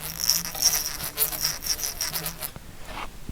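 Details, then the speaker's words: LRP-300V paper tape punch main drive motor spun by hand, microphone close to the replacement drive belt; short high rubbing squeaks come and go, caused by misaligned pulleys or non-parallel pulley axes; belt squeak from pulley misalignment. "i don't know if you could hear that but it's making a squeaking sound the only reason it will do that is if the belt is not properly aligned as if this pulley and this pulley are not either properly aligned"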